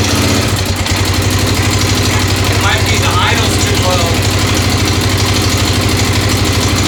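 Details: 1996 XR600R single on its first cold start on choke, lumpy idle around three beats a second with a light regular tick on top. The owner suspects a valve adjustment is needed, right front.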